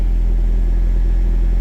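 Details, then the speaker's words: Turbo Toyota MR2 warmed about 10 minutes, idling about 1000 rpm with AC on to lower rpm, vacuum around 18–22; low even steady rumble with no misses or ticking; normal idle. "Um, and if you're a little higher, I've got the AC on just to lower my RPM, but that's about where my idle sits."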